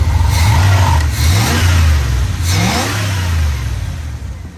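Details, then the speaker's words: Truck with a 5.2 V8, air cleaner missing: quick throttle blip, revs rise and fall cleanly with a deep, even note, no knocks and no smoke; healthy engine revving. "This thing is healthy. That's a healthy 5.2. Happy 5.2 right there."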